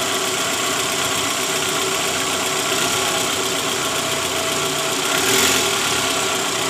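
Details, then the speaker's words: 2012 Toyota Alphard ANH20, 2AZ engine, 101,000 km, idling in D; faint uneven rattle from the oil pan area under the engine hum, rough mainly at cold start with A/C on; balancer shaft found worn and loose when removed. "Terdengar suara gemerincing samar di area bak oli. Gas pol, gas pol . Oke, teman-teman. Jadi, kemungkinan besar suara itu berasal dari balancer."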